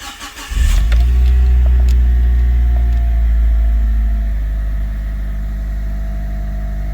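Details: Mitsubishi Evo 5 GSR on a ramp, wheels off, after replacing a seized ABS sensor: the engine catches quickly, flares briefly, then settles into a smooth steady idle. Healthy start, and the ABS light goes off.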